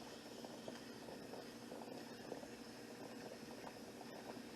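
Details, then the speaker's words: Nesco electric pressure canner holding 15 pounds during a 75-minute pint processing run: the regulator weight lifts to release excess pressure throughout; soft steady hiss with faint bubbling, normal steam venting from the weight. "And that's normal. It'll probably steam come out, and here you can see some steam. Steam will come out and throughout the whole process, because the object of the weight is to maintain 15 pounds in the case of this one."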